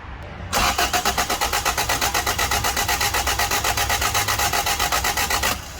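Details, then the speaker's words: 1991 Honda Civic hatch with a swapped B16A engine cranking but not starting; fuel pressure present, spark tester shows no spark at any plug; starter spins at about four even beats a second for five seconds and the engine never fires. "Alright, at this point in the video, I'm testing every single one of the spark plugs to see if there's any spark. And as you can see, there is no spark on any of the plugs. So it's definitely a spark issue."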